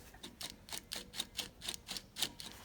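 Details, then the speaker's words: Porsche 996 clutch and flywheel, removed and turned by hand, one pressure plate locating stud broken: sharp, dry ticks about three or four a second, something loose inside, cause unclear; owner plans to replace all three parts. "this noise what do you think of this weird that probably shouldn't be there"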